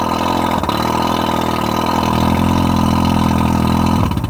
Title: Rough idle and misfire 1995 115 Merc 2+2.